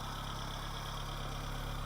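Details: 1980 Honda Civic being got running again, fitted with a new ignition coil: a smooth, even low hum at idle with a steady beat and no stumbles; the engine idles normally.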